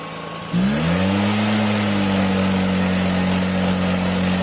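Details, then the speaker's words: Stihl BR 340 backpack blower, a no-start fixed with fresh fuel after clearing the flooded plug, full throttle with choke off; fires up, climbs quickly and holds a steady even note; runs good. "oh okay guys so it runs good that's it"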